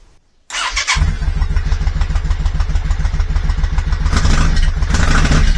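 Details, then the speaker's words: Yamaha Virago 535 V-twin started cold during a full service with new oil and filter, air filter and spark plugs, before the fuel filter change. It starts a little easier but settles into a low, uneven thump with skipped beats: a misfire. "Well, it seemed to start a little easier, but there was something of a misfire there."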